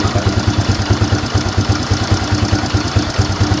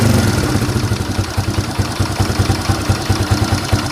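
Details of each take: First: Fury 125 single-cylinder motorcycle after DIY carburetor repair kit replacement: even putt-putt pulses about seven per second with no hunting or surging; idle now stable, unlike before when it rose and fell. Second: Fury 125 single-cylinder motorcycle idling after DIY carburetor repair kit replacement: busy light tick about three times a second over the exhaust beat; owner dismisses the engine ticking, cause undetermined.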